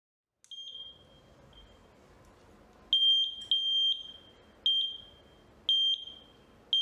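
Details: VLF metal detector after repair of constant beeping, with new LED and buzzer reconnected, 9 V battery. Clean, sharp high beeps in short bursts about one to two a second in a quiet room; the constant beep is gone and it responds properly to metal.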